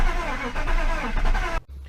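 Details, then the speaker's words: BMW E39 525i, after fresh fuel: starter drags slow and uneven, labouring before cutting out because a seized alternator pulley loaded it; serpentine belt smoked off, car then idled fine, new alternator planned. "it smoked the serpentine belt off because the problem was this alternator seized so that's why the starter was was making that funny noise because it was under so much pressure trying to turn turn everything with a seized pulley"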